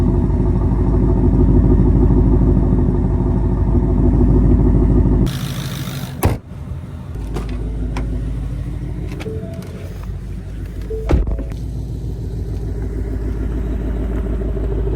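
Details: S550 Mustang GT with replacement engine, awaiting final tune: deep, even V8 burble for five seconds, then quieter steady running with no knocks or ticks; sounds healthy, normal running.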